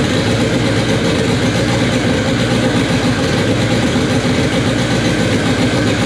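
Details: K24 engine in an all-wheel-drive Integra, first start on a FuelTech FT600 ECU after two days of settings: steady, even rumble throughout with no misses or knocks; normal idle, fuel tuning still needed.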